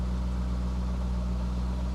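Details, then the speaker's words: Corvette at a salvage auction, oil sticker showing 120,000 miles in 2019, with ABS, active handling and traction warnings displayed; smooth, steady low V8 idle with an even firing beat, no knocks, ticks or misses; engine sounds healthy. "service abs service active handling the engine sounds good though"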